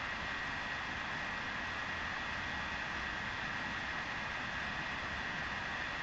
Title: Vaillant ecotec plus 438 droning vibrating noises